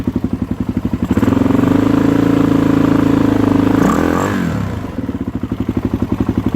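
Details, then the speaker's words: 2013 Suzuki DRZ400SM single-cylinder, first start after coolant flush and new fluids, temporary exhaust; even thump at idle, a clean held rev, then settles to steady idle; runs healthy, idle needs no adjustment. "Yeah, I don't think I have to adjust the idle anymore. It seems okay."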